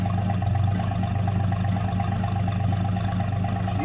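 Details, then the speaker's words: 1960 Ford F-100 after repair, previously barely idled: steady even low rumble, regular beat, no misses or knocks; truck purring at smooth idle. "man, that thing is purring. I mean, it is purring."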